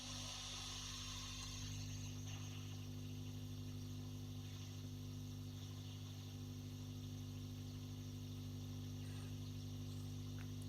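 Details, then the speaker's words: Tube guitar amp (J20 type) with Celestion Blue speaker and a pair of 6L6s, full power mode, attenuator out of circuit, nothing plugged in, volumes up: steady mains hum with soft hiss; normal for this amp. "Quite a bit of hum there. Quite a bit of hiss, but not unusual for one of these."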